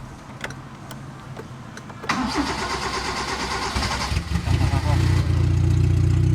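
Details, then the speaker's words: 1989 Proton Saga Magma 8-valve, first start after full engine overhaul, no exhaust fitted yet, no air filter: catches after a few seconds into a loud, raw, drag-car-like bark with a faint valve tick underneath, to be adjusted later; no leaks. "Tailpipe ada bunyi sikit tapi tak apa. Nanti dah buat exhaust barulah kita adjust. Sebab sekarang ni dia bunyi macam kereta drag sikit."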